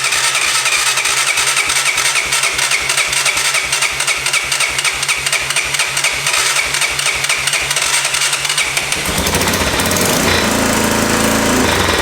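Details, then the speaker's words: 1988 Honda 4x4 ATV single-cylinder idling on its first start after a clean carb and a new CDI box. A sharp ticking puff at each firing pulse, about four a second. Exhaust leak; the engine otherwise runs and idles well. "Oof. Got an exhaust leak. That's awesome! It already runs! Amazing! And it idles!"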